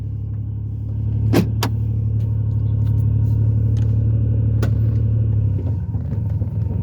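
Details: Ford Taurus after shop repair, idle: deep steady rumble throbbing about four times a second, louder and coarser than stock, sounding like a diesel; exhaust leak appeared after shop visit.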